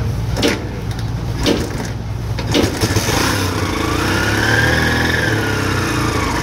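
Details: Kawasaki 175 Barako 2 no-start: repeated soft kicks, each a short churn with no firing, so the engine turns but never catches; a faulty CDI was suspected, but loss of compression was found.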